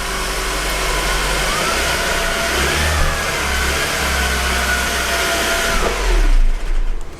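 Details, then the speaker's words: 2013 Mercedes C250 (W204) running about 10 seconds at raised cold high idle with accessory belt removed: steady even sound, whine practically gone, confirming the idler pulley caused it. "so even though the engine is revving up because the practically the choke is on you can see uh the noise is gone the whining noise is practically gone"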